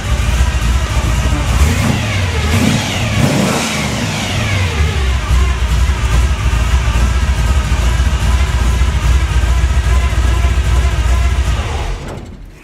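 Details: 1957 Chevy 350 V8 with two four-barrel carbs and a Pete Jackson gear drive, running extremely rich: deep rumble with quick throttle blips, revs climbing and falling off extremely fast; a free-revving engine.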